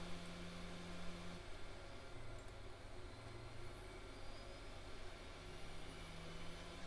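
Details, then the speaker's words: 52x CD-ROM drive in an early-2000s AOpen CustomPC, spinning up while copying files: low, even hum that steps up and settles at full speed, no rubbing or wobble; drive obviously working. "drive yeah that thing's spinning but we're not getting any disc explosion so let's go ahead and cancel this it is obviously working"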